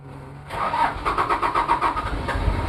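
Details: Toyota 2L-T diesel cold start after piston ring replacement without top overhaul; quick crank then cold, lumpy clatter with uneven pulses from one bad injector, possible cylinder head issues; bad injector.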